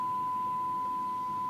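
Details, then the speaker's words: Chapman S6 valve tuner after recap and alignment check, IF about 467.5 kHz versus 470 spec: clean steady test tone received while sweeping, signal meter peaking, no hum, crackle or drift; normal reception. "so I'm going to sweep through on the phone scale and you can hear the signal coming through and watch the signal meter here you see closing peaked about there"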